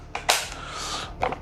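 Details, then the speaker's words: Manual hand-cranked tomato mill: a few sharp, dry clacks as the crank turns the small internal rotor that scrapes tomatoes against the grate; the clacking is normal. "voilà tu entends ce claque donc ce claque c'est normal tu verras tout à l'heure je te ferai un plan plus rapproché dessus"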